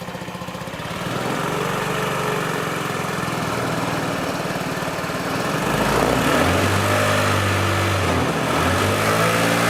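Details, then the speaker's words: Honda Ruckus scooter with the OEM exhaust cracked where the header pipe meets the cylinder head, after an earlier weld: a loud, raw, mower-like blatty idle that turns harsher as revs rise. This is before replacement with a Yoshimura stainless exhaust. "Before we get started removing the old exhaust, I want to show you what a broken exhaust sounds like."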